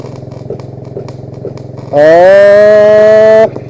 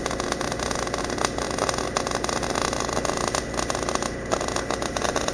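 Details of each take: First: MIG welding from an engine-drive welder with a wire feeder, after turning down one tap; steady buzzing arc rising slightly in pitch and holding even over engine idle, smooth stable weld. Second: MIG welding on an engine-drive welder after settings adjustments: steady frying crackle with irregular pops and brief dropouts, arc sputtering a little, over the engine's drone; weld running hot.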